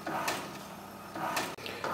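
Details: HP Deskjet 3055A printing an A4 photo: quiet whirring with a carriage swish about once a second as the head sweeps back and forth; very slow but normal photo printing.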